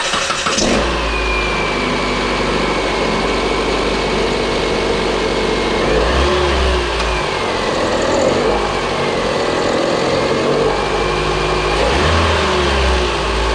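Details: Proton Inspira / Mitsubishi Lancer 2008 on start-up: high squeal over the idle that rises and falls with each blip, likely slipping V-belt; belt tensioner showing play, replaced with idler pulleys and belt.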